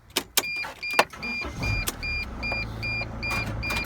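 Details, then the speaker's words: Mercedes Sprinter van, restart after earlier no-start trouble: a few clicks, engine catches within a second and settles to steady idle under a warning chime; quick healthy start, slight hesitation felt, check engine light on. "so it comes on good guys this is the way the van should really come on it should come on like really fast you know basically quickly on and off"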